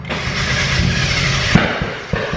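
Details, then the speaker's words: Turbocharged Mazda Miata on a Speedy EFI ECU: steady cranking, then a sharp pop and irregular bangs; backfire on cranking, owner suspects no proper top dead center sensing so the ECU doesn't know where cylinder one is. "bang bang nothing try it again and it starts shut it off turn it back on [Music] bang bang stop try it again fires immediately so that is telling me that the engine doesn't know where number one cylinder is at any given time"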